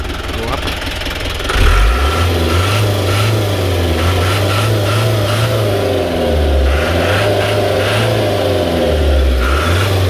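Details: Diesel engine parked for 10 years, first started less than an hour earlier, revved for a buyer. It clatters evenly at idle, pulls up cleanly through several blips and settles back without misses or knocks: normal diesel idle and revving.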